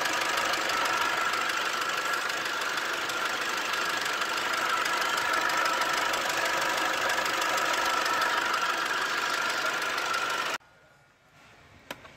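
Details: 2012 Toyota Hilux 2.5 L (2,494 cc) diesel, manual 4x4 double cab, from a case of a car that would not start: steady even diesel clatter at idle with no misses or stumbles, then shut off; sounds healthy.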